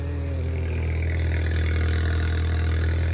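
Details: VW R400 after battery install, previously wouldn't start: engine catches and settles into steady even low idle, no misses or knocks; running healthy.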